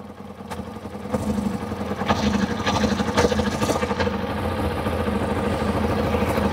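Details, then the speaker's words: Kawasaki ZZR600 after idle screw adjustment: lumpy, uneven idle with dropped exhaust beats and erratic revs, possibly running on three cylinders; misfire, coils suspected, not confirmed. "So, we've got it idling, but I think it's missing. It sounds like it's misfiring ever so slightly. Are you only running on 3 cylinders?"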